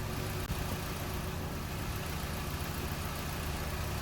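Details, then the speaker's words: Car idling during pre-MOT checks with the brake pedal held down to test for vacuum leaks: quiet, steady idle with no hiss or hunting, so no vacuum leak and the engine runs fine. "we check in see beginning any vacuum leaks while the pedals depressed so that would also cause your engine to run quite badly so this engines running fine yeah any air hissing anywhere"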